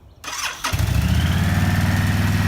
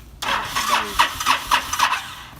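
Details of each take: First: Honda VTX1300 motorcycle, stored 5 years with under 1000 miles in a decade, first start after fuel system, tank and carburetor cleaning and new spark plugs: cranks briefly, catches at once, steady V-twin lope, no misses. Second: Honda VTX1300, stored five years, old gas topped up with fresh and smelling of varnish: rapid cranking with uneven coughing bursts that never settle into idle; needs choke held to start and stalls; hard starting from stale fuel.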